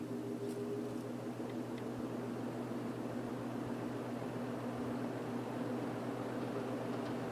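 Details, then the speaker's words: 1950s GE box fan motor, oiled but dirty, running on low before disassembly: smooth, even whir with a soft steady low tone and no rattle or scrape; motor running fine. "I'm gonna run it a little bit so you can hear it like I said it runs very nice"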